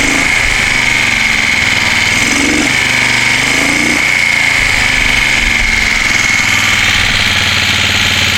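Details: 1973 Moto Guzzi Eldorado, first run in 25 years after tank coating and carb cleaning: twin runs steadily with constant high whistle over exhaust, slight rise near end; condition unknown, doesn't sound bad, throttle cables need rerouting.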